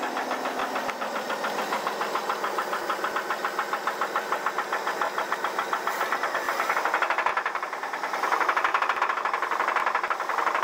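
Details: 1983 Chevrolet S10 4x4 with a 2.8 V6: sharp metallic knocking, uneven at about two per second and rising with revs, is rod knock on cylinder #1. A 3.1 swap is planned.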